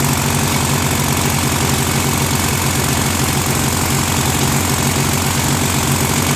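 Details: Rebuilt Briggs & Stratton 16HP opposed twin on a Murray garden tractor, first run after the carb's missing jet was fixed: a rough, loping chug around four beats a second, surging at idle. Owner says the carb idle screw needs adjusting; holding it made it run better.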